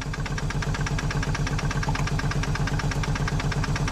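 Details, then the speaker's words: 1990 Mercedes 230CE, petrol, idling with a lumpy, uneven pulse of about three beats a second as cylinders miss; misfire caused by the wrong firing order on the distributor cap leads after someone tampered with it. "what about the firing order was wrong so someone's been messing around with that cat"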